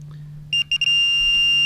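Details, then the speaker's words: Minelab Pro-Find 35/15 pinpointer at max sensitivity with Ferrous Tone ID on, held over a quarter: a couple of short high beeps, then one unbroken solid high tone, the correct non-ferrous signal. "That's the solid tone on the quarter. Listen again, solid tone on the quarter."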